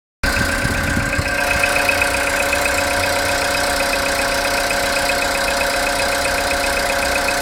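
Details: Engine after overnight parking, cold idle: light, fast ticking knock over steady hum, quieter when revved and gone after 10 minutes warm-up or 2-3 minutes driving; cause unknown.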